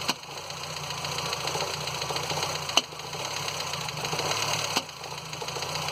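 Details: Ford Fiesta Endura engine at idle: quiet idle broken by three sharp single clacks a couple of seconds apart; owner asks why the engine makes this noise; intermittent knock, cause unknown.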